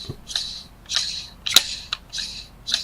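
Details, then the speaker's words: RACEBOX upgraded pulley on a VR30 engine (Infiniti Q50/Q60, Nissan Z), engine out of car, spun by hand unbolted: light dry scratching bursts as the lip rubs the tensioner; pulley fitted backwards. "but it's more than likely going to be that the pulley's backwards. So, whenever you put them on, the way that you can tell is you spin it loosely with it not bolted on."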